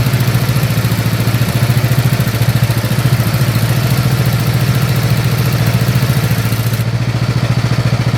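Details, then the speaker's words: Snapper SR-Series mower with 10HP Briggs & Stratton single-cylinder engine, stored 10 years, after carburetor work and fresh treated fuel: steady, even idle thump, no misses, surging or hunting; running good and waking up. "All right, so she's running good. All right, she's starting to wake up."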